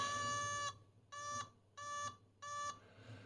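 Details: 1979 homebrew dual linear power supply, 0-30V 0-1A, with a built-in audible current alarm: four bursts of steady high beeping, about half a second each with short gaps, as the supply hits its current limit.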